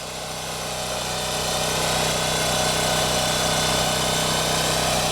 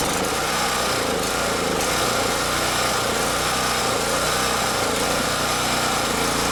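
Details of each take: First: Champion generator, about 3000 hours, original spark plug, after no-start fixed by checking fuel lines: steady, even drone under load, pitch level, no surging; owner suspects fuel distribution issue or bad fuel. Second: Champion generator, stored a year, no-start, running after simple checks: small engine droning at steady high speed with slight unevenness and hunting in pitch; mild surging, rough running, owner suspects fuel issue in carburetor.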